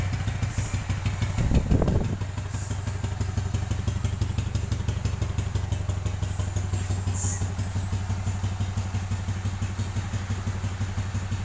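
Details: Yamaha Jupiter Z New, rebuilt a month earlier with an oversize piston and since showing a ticking complaint, checked with a stethoscope. After a brief thump it settles into an even idle thump around three per second with no ticking; sounds healthy.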